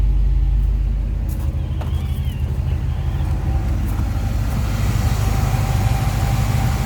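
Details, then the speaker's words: 1976 Chevy C30 one-ton truck, V8 built from spare parts with Holley/Edelbrock mix, pair of Thrush glasspack mufflers, revved in neutral: deep rumbling burble rising and falling smoothly, no misses or knocks; normal revving. "well this one has a pair of thrush glass packs on it"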